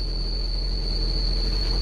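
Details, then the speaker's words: Lada Priora after oil change, engine warming toward 70°C: steady high squeal over deep engine rumble, unchanging pitch; loose alternator belt slipping, needs tightening; no hydraulic lifter tapping heard yet. "это генератор у нас самосвенно пропала хватит по-братски жестко жестко скрипит надо ремень подтягивать срочно порядком"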